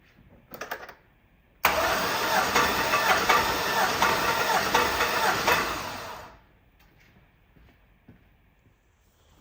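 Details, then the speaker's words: Twin-turbo Silverado compression test on cylinder 5, plugs out and fuel disabled: a steady starter whir with even compression pulses, no slowing. Reads dead on 180 psi; cranking healthy. "this one's looking good as well so far dead on 180 look at that this is this is very good so far"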